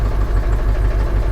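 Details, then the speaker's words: Ford F450 7.3L diesel auction truck with five-speed manual, jump-started cold; low steady clatter with faint uneven pulses at idle, not running right, cause unknown. "she's running it's a little cold out so she may need a minute to she may need a minute to warm up guys"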